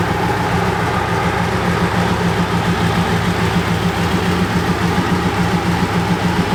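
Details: BMW K100 café racer build, running after problems were solved off camera: steady, even low idle pulse at constant speed with no knocks or misses, four-cylinder idling nice and smoothly; normal idle.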